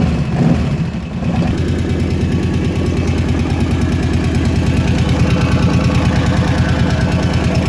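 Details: Kawasaki KVF 750 Brute Force ATV engine at idle: light quick tick about three per second from the top end of the engine; cause not determined.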